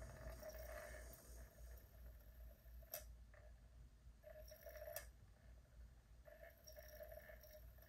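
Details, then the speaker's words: Japanese PlayStation SCPH-5500 after reset, retrying a disc: faint tick and short whir repeat every couple of seconds, never settling; disc not read, cause suspected, not confirmed. "I doubt this is going to actually read the disk however we can go ahead and see so similar to what we've seen before"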